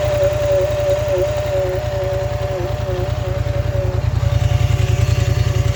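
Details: Polaris Scrambler XP1000 S at idle: steady low thumping with thin wavering whine above it; unusual noise, source unclear.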